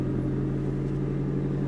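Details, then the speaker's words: 2013 Scion tC manual at a salvage auction, 131,000 miles, aftermarket exhaust, nearly empty tank: steady deep even idle with throaty exhaust note, no knocks or misses; healthy. "oh she's got a go fast exhaust she started right"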